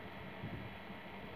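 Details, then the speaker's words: Water pump motor after repair for noise: a quiet, even hum with a soft hiss and no rumble or grinding. It is smooth again; the noise was caused by damaged bearings. Normal running. "Bisa kalian dengar ya suaranya sekarang udah kembali halus lagi ya, tidak berisik seperti tadi."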